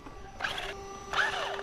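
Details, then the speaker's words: Rlaarlo Omni Terminator RC car running on new Zee shorty battery packs: two short scratchy rasping bursts over a faint steady motor whine; owner believes a leaf jammed in the axle causes the noise; debris rubbing in axle. "oh we got a leavea jammed up in here down there in the axle believe that should be the noise"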